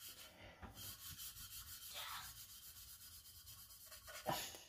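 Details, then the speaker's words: Valve lapping on a 5.3 LS cylinder head fresh from the machine shop: even back-and-forth strokes with lapping compound until the grinding turns to a fine, soft hiss with no harsh grit, showing valve and seat are mated. "now we're going to do the same thing grind till it sounds uh sound soft"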